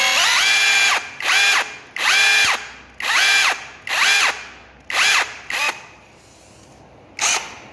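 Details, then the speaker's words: Mini cordless brushless 2-mode rotary hammer drill on Makita 18V battery, just reassembled with some screws loose: repeated trigger pulls, motor spins up to smooth high steady whine and winds down cleanly, no grinding; healthy. "Wow. Nghe tiếng đã, nghe tiếng quá phê luôn."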